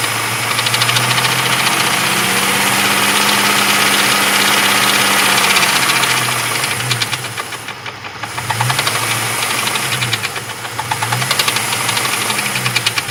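Hot idle with a steady, fairly even knock, about three to four raps a second over the engine note: a knock whose cause isn't pinned down yet.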